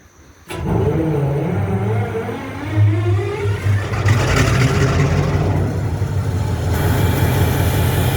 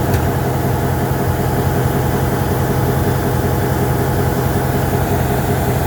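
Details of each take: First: MP15 diesel switcher locomotive, second unit, cold start on weak batteries: catches sluggishly after repeated tries, stumbles with an uneven deep rumble and smoke, then settles into a run. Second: MP15 switcher locomotive on DO-1 that started right up, unlike the second unit that had a hard cold start on weak batteries; deep, steady diesel rumble, even low throb, no misses or knocks, normal idle.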